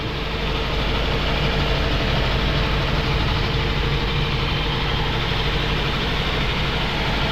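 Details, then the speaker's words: 2002 Toyota Altis with strong engine vibration and overheating; new spark plugs fitted, injector working. Heavy, uneven idle, lumpy low throb, air cleaner and engine/transmission shaking hard; misfiring at idle. Coil or intake-manifold vacuum leak suspected. "mapapansin niyo yung host natin sobrang alog air cleaner yan yung makina transm uga palag palag"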